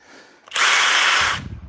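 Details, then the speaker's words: Impact driver running with an internal buzzing grind with a gritty, metal-on-metal edge, then loose clunks, after being used to drive fasteners meant for a drill; internal grinding noise. "can you hear that grinding noise inside we heard it uh first of all yeah the Fasteners we use you should not be using with an impact driver these are made for a drill but and just doing this it's metal on metal in here I can hear it"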